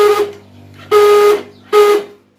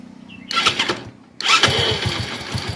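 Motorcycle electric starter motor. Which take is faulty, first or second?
first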